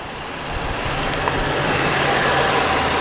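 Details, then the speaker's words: Nissan 350Z V6 idling after new cooling fans fitted, mic on the speaker, also heard near the sump: low even hum with no knocks, ticks or rattles, gentle rise in level; quiet healthy idle. "I'm whispering over the V6. So quiet, like, seriously so quiet."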